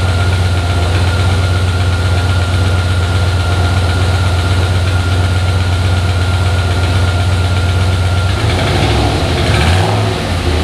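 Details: Junkyard 5.3 LS in a turbo S-10, first start after a rebuild replacing a bent rod blamed for a tick, run without antifreeze: steady, even V8 idle, some lifter noise at first, no bottom-end tapping; normal idle.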